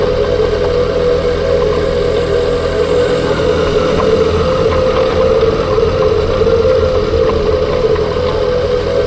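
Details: 2021 Ford Kuga PHEV after a new clutch damper/flywheel: a steady mid-pitched whine of constant pitch rides over the engine's even idle.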